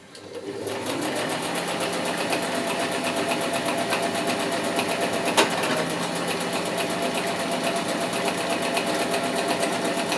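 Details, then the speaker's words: Sewing machine stitching a custom pool blanket cover with very fine stitches: fast even needle clatter about four per second, faint scraping and one sharp knock; thread bunched underneath, possibly from two threads of different strengths. "otherwise oh that's making a strange noise and don't like that sound something's not working right it's if you can see it's all got bunched up underne"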